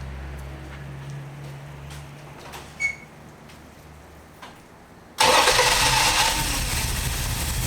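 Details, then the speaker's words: 1968 Valiant ute 318 V8 after carburettor mixture screws set 1.5 turns out: quiet, then catches instantly and settles into a strong, even run with no stumble; now starting and running normally. "well it's running a lot better well it's actually running now so that's a bonus"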